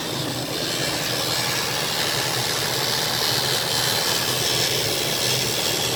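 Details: 2001 Ford E250 Triton engine running with a weird noise: a loud, steady hissing roar over the engine with no clear knock or tick; abnormal, cause not identified.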